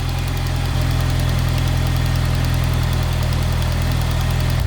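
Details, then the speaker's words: Saab 9-5 Aero petrol engine idling after a heater hose repair; quick uneven tapping over a low rumble from a leaking exhaust, still to be fixed. "you hear that tapping that's the leaky exhaust that's the next thing on the to-do list"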